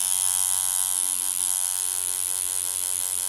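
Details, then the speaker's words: Hummingbird 2 rotary tattoo machine, repaired after running very dry, running at 7 volts. Steady, even, high-pitched buzz with no stutter or pitch change; normal running. "Vous pouvez gratter gentiment la peau avec. Elle va fonctionner."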